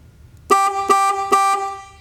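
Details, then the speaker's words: 1999 Chevy Silverado 1500 with a horn that honked nonstop: horn driven directly via a switch tool in the relay socket gives three loud, clean two-tone honks, proving horn and wiring from relay socket to horn are fine; fault lies toward the column connector. "so i now know the horn works everything from here to the horn is fine"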